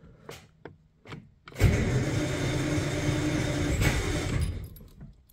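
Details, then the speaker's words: 1949 Armstrong Siddeley Lancaster, unstarted for a year, hot day, in neutral: several faint clicks then steady low churning crank about three seconds that never catches; hard start after sitting. "okay so as I expected she's not starting straight away"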